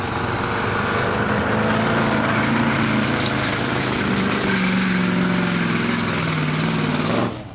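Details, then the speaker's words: Abandoned 4x4 Cadillac under load: a hard, irregular metallic pinging over the engine, detonation (spark knock) from ignition timing too early or a lean mixture. "Basically what's happening, our ignition timing is either too early or we're too lean, and our flame front from our spark is racing down the cylinder while the piston's racing up, and they're colliding and the piston's going ding"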